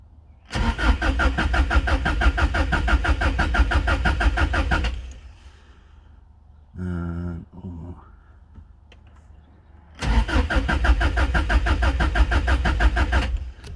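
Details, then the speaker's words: 1995 JDM Subaru Impreza WRX with a new battery, oil and coolant, cranked with the crank sensor unplugged: two bursts of even starter cranking with no firing, and no fuel pump can be heard. "right now I'm going to plug the crank sensor back in right so no start but what I can't hear is a fuel pump can't hear anything"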